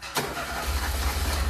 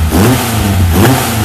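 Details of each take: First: Ford SOHC 2.0 Pinto engine in a Sierra-based kit car with twin Weber 40 DCOE 151 carburettors, just fired up: lumpy, uneven low idle with a wavering beat, carbs deliberately out of balance before throttle-linkage and airflow-meter synchronising. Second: Ford SOHC 2.0 Pinto four-cylinder in a Sierra-based kit car with twin Weber 40 DCOE 151 carburettors being balanced with an airflow meter; engine picks up cleanly and smoothly through a quick rev, no stumble or hesitation, normal revving.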